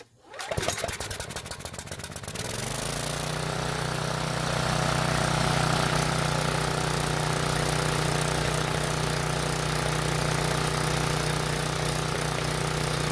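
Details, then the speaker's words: Briggs and Stratton generator, unused for a while and previously non-starting, restarted after more fuel was put into the line; pull-start clatter catches, then a smooth even drone powering a halogen work light; normal running under load. "i'll try that again but this time i put more gas in it and hopefully it'll run a little bit longer i'm also going to move the work light to the other outlet just to make sure it works as well"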